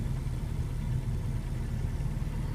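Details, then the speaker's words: 1954 Wolseley 4/44 just started: soft, low, steady four-cylinder idle with even beat, nothing rattling or missing; good oil pressure. "Anyway, let's start it up. It's very simple, and away it goes. Good oil pressure."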